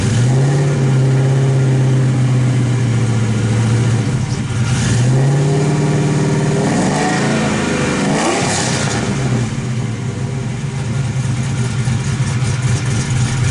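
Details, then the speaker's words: Suburban V8 with new headers, plug wires and dual-clutch flywheel, clutch slave replaced: a deep steady rumble through a couple of quick revs, settling evenly and spinning up quicker with no clutch rattle. "Light, like there's like feels like there's feels like it's spinning quicker than it was."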